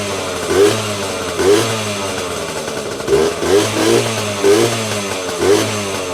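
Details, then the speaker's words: 1977–1979 Yamaha GT80 two-stroke enduro, first start in a while on choke after oil change: crackles and blips up in short crisp, even rev bursts about once a second, little smoke; healthy two-stroke running. "Wow, that was pretty impressive. Didn't take long to start, and yeah, these old two-strokes, man, just start right up."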